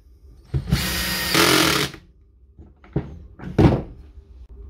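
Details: DeWalt D21570 230/240V core drill after fitting new brushes (old brush leads burned away, drill did nothing): motor spins up to a steady high whir for about 1.5 s, then picks up speed, then handling knocks; runs normally.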